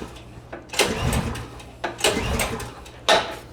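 Three recoil pulls about a second apart, the engine turns but never catches once; a gummed carburetor is starving it of fuel.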